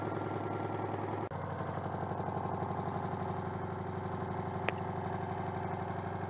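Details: Citroën 2CV AZLP6 flat-twin with new centrifugal clutch: idle chuffing about three pulses per second with slightly lumpy beat; owner suspects disconnected crankcase breather causes rough running.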